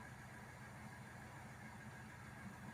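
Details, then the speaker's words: Hyundai Grand i10 diesel (2015, BS4) after engine work for a tapping noise, with the air filter refitted; quiet, steady idle with an even low rumble and no ticking or tapping. Normal idle. "Finally हमने इस गाड़ी का engine बिल्कुल complete कर लिया है air filter लगा लिया है तो साउंड देखिए कितना अच्छा हो गया है"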